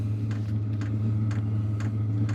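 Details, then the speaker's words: Wippro 8 kW diesel heater in a shop bus, raised to level 3 of 10: crisp fuel pump ticks about twice a second, getting faster, over a steady low fan drone; slight rumble seems to go away; normal dosing pump clicking. "so you hear the fuel pump clicks get a little faster and I don't know if you'll be able to hear that vibration but it does sound like it goes"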